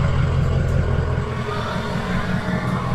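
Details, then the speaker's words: 6.0 Powerstroke diesel, possibly previously tuned, cold start at idle before SCT BX tuning: deep, steady rumble with even low clatter and no odd knocks, settling smoothly; normal cold idle. "Okay, so before we get started, I figured why not do a cold start so we can see how it sounds before."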